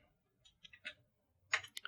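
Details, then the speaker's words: Retro eBay PC, floppy drive booting a boot disk: light scattered clicks and short buzzing seeks; floppy drive reads successfully and works. "I hear the disc being read. Is it going to be successful? Yes, it is. So, the floppy disc drive works."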